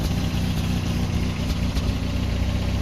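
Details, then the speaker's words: Toyota pickup with 22RE engine, first drive after fitting a replacement '93 computer: rough, uneven idle with irregular soft exhaust pops over a low rumble and shaking; popping persists, cause unclear, not overheating. "you can still hear that popping of the exhaust. Well, there it goes."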